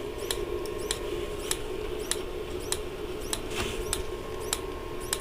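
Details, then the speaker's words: Dometic Americana RV fridge switched to propane: sharp snapping clicks about twice a second over faint hum, no flame whoosh; igniter sparking but burner not lighting. "you can hear it snapping it's obviously trying to start the gas right now which I'm kind of surprised it hasn't checked in yet"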